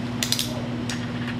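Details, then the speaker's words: Heritage Rough Rider Magnum revolver with the cylinder removed and the cylinder hand tapped: light metallic clicks over a hum. The hand came off and its spring has gone limp, so the gun cannot cycle the cylinder; a replacement hand and spring is coming. "this right here at this cylinder hand I don't know if y'all can hear that that's me tapping on it and it's hitting the back of the wall here so this gun cannot cycle the cylinder"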